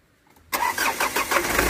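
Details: 2011 Ford Ranger diesel with a no-start from no fuel reaching the common rail from the high-pressure pump, after the fix: it cranks once, catches right away and settles into a steady, even run; normal start.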